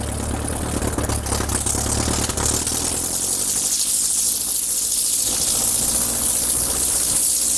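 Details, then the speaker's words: Kit plane engine first run after 14 years, during run-up at about 1700 for prop cycle: on magneto check to right mag it misses heavily, beat turns ragged and engine dies, not recovering on both; misfire on mag check, cause not yet found. "Didn't like the mag check. Didn't like the mag check. When I went to right, it shut off. Came back to both and it didn't come around."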